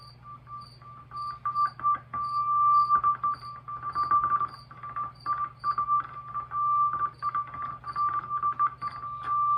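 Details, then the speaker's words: Hammond organ with ratcheting drawbars, key held while pulling a drawbar: held organ tone cuts out in short silent gaps between bus bars, attributed to a damaged resistance wire under the contact. "this is why I hate ratcheting draw bars you do the same thing you got little dropouts between every bus bar on the inside there"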